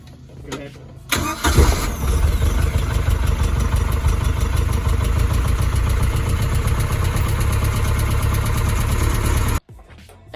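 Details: Boat inboard engine after remanufactured water pump and belts installed, not all wires connected: brief crank, then catches and settles to a steady even low rumble with no knocks or misses; healthy start.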